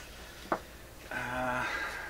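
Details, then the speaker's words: Mains hum picked up by test leads from the shop environment while signal-tracing a garbled 1928 RCA Victor Model 28V TRF radio; low steady hum with even overtones, capacitively coupled through the body, while the signal generator tone itself is clean. "Can it be that there's enough hum floating around in my shop here in the ether? Even these leads are picking it up and presenting it to whatever I clip it onto."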